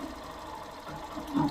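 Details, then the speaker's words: Motorcycle single-cylinder engine idling with heavy, rough rhinoceros-like growl from faulty magneto stator; unplugging the stator connector makes the noise stop and engine run lighter, replugging brings noise and heaviness back. "se liga só na hora você já vai sentir que a moto vai ficar mais limpa mais leve e o barulho vai sumir na hora"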